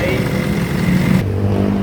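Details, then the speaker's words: Isuzu 4HF1 diesel revving rough and uneven with a lumpy, sputtering low note, misfiring with white smoke; dirty fuel filter and strainer found, hoses and fuel filter being replaced as the fix. "yan yan ang gawi dito namumug at puti ang usok at namamalya yan"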